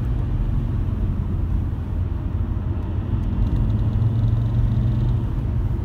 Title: Vibration noise when accelerating